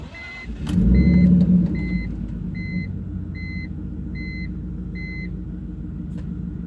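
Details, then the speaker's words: BMW E46 turbo after a boost spike during a hard pull, oil cap off with vapours escaping: slow, slightly uneven cranking around three beats a second with weak chug and smoke; owner suspects low compression blowing into the crankcase. "You can hear it on low compression. And then you'll see more smoke continuing to pour out."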